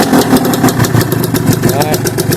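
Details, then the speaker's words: Gilera Runner two-stroke scooter with refurbished 23-year-old Scorpion expansion pipe, castor oil, recorded on phone microphone: crisp, busy burble with steady rapid popping, no misses or rattles; healthy running. "Yeah, sounds nice, doesn't it? I couldn't do a video without letting you hear it, could I?"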